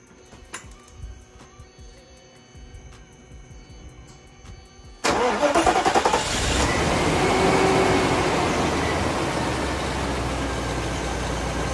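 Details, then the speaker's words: Mercedes C126 right after replacing a worn distributor rotor arm: cranks, fires and settles into a smooth, steady idle with no skipped beats; much smoother than the missing it had when driven in. "W that's that's much that's much smoother it was like missing when I drove it in"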